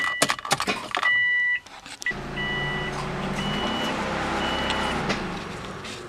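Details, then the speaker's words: 2004 Subaru Impreza WRX STi (GD) with the two green test connectors under the steering wheel joined, ignition at ACC and engine off: quick clicks, then a steady electric hum as the fuel pump cycles; the radiator fans should also run. This is normal test-mode behavior. "you can hear the fuel pump cycling and clicking and you can hear the fans if you don't hear the radiator fans it could mean that the radiator fan relays are bad"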